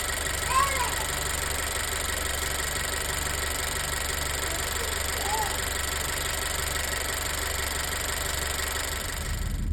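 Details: Honda EarthDreams turbo GDI petrol engine at idle before adding MotorKote oil treatment and Marvel Mystery Oil; a light, fast tick rides faintly over the hum, source unknown, and later returned; engine ticking at idle.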